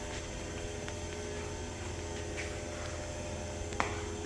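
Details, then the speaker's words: 2018 Haas VF-3SS CNC mill, 30 hp 12,000 RPM CAT 40 spindle, not fully warmed up, running at 5,000 RPM: steady even hum with clean constant tone, no grinding, knocking or wobble; spindle sounds good. "Right now the spindle's running 5,000 RPM. It's not all the way warmed up, but I'll take it up 75, 85. You hear it all sounds good."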